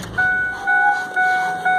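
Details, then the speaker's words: 2004 Ford F-150 crew cab 4x4 with an engine miss, codes just cleared, shutting down: a wavering, wailing high whistle rises and falls in pulses as it sucks air, a sizable vacuum leak. "then when it shut off you just hear that that wailing noise again or it was sucking air so right there's got to be a pretty good sized vacuum leak"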